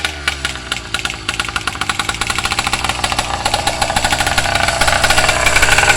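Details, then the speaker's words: Freshly built petrol engine on its first start-up, being broken in slowly: sharp raspy ticking and puffing over its note from an exhaust leak seen at the front. "oh yeah I got exhaust leak right here I see that already not bad for first start up not bad"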